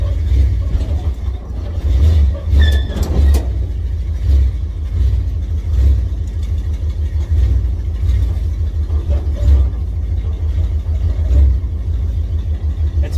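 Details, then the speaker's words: Roughly 50-year-old classic Ford Bronco started cold with new battery, needing throttle help to keep idling until warm: deep, uneven, lumpy rumble with hunting and surges as throttle is blipped. Rough cold idle. "he's a little help for me to get keep it idling for a second minute once it gets warm but it's incredible"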